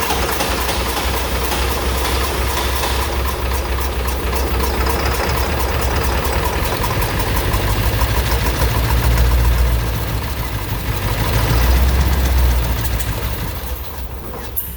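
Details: Ford 7.3 Powerstroke diesel after the starter was tightened, cranked with ether sprayed in: steady starter cranking at about 200 beats a minute. It turns over evenly but never fires, so it cranks without starting; the cause was not confirmed.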